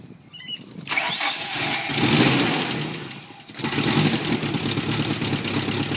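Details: 1990 Nissan 240SX with KA24E engine: fires up and revs with an uneven, stumbling beat. It misfires constantly, with a bad idle.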